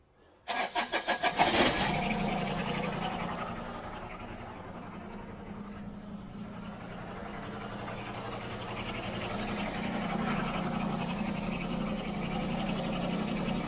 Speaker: guys hear that like a muffler sound in the background that is because that clamp isn't on the uh air filter breather and it's not real tight so it's kind of like getting through there